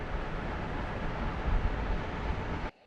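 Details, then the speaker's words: Blower at a house just after a replacement Trane ECM blower motor was installed and the thermostat turned back on: airflow restored, a steady, even rush of air with no knocks or squeal, then it cuts off; running normally. "And voila, we have air flow again."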